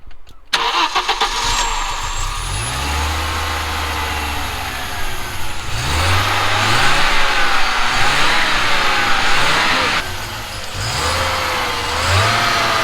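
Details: Audi 2.2 Bosch K-Jetronic with screwdriver put in: cranks, catches and climbs to high busy rev, usually about 3000 rpm plus, never settling to idle; helper suspects an air leak, not confirmed.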